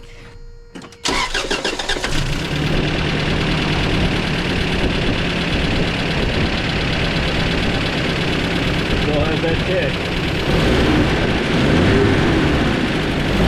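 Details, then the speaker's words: 1994 Toyota Pickup work truck on a chilly day, test drive after new plugs and wires (fuel filter not yet changed): pedal to the floor, engine stumbles with uneven beat and dropped pulses, still missing terribly. "That's to the floor. Oh, she's still missing terribly."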